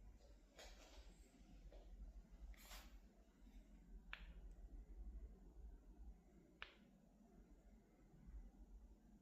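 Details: LG OLED 77-inch G5 TV, switched off in a quiet room: a couple of sharp, isolated cracks and pops come about two seconds apart. Cause unclear.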